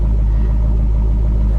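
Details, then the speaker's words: Hemi-engined salvage-auction car in neutral with parking brake on: deep, smooth rumble holding steady with no knocks, ticks or rattles; normal, healthy revving. "does sound good"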